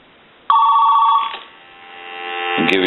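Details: AT&T 210 Mickey Mouse telephone after repair, ringer switched from low to high: a loud ring tone bursts in and holds steady, then a rising warble follows; the ringer sounds strong and works properly.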